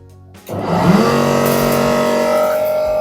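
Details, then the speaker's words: Candy CSOEC10TBE-19 10kg condensation tumble dryer: motor comes up to a steady hum with faint rhythmic flutter but the drum doesn't rotate; broken V-belt. "can hear the noise, my dear friends. This is the noise, but you can see here drum not rotating."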